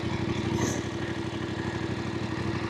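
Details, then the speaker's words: Voge 900DSX motorcycle after 14 months of riding, road mode, second gear, off the throttle: twin ticks over unevenly, beat bobbing and wavering as fueling hunts at low speed; cause not confirmed. "I can hear the engine ticking over, but I can feel the fueling searching a little bit."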